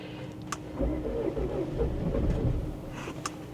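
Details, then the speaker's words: Salvage Bentley Flying Spur cranking unevenly while the accelerator is pressed: it catches and runs roughly for a couple of seconds, then dies. Won't keep running; owner suspects a compression issue, not confirmed. "n it won't run it tries to start then it just dies"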